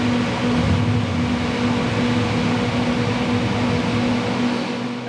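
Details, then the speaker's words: 383 small-block Chevy V8 making a pull after timing was set; loud, rough roar under load with steady drone and uneven undertone, running particularly poorly; owner suspects it needs smaller jets, cause not confirmed. "That is running particularly poorly. right there."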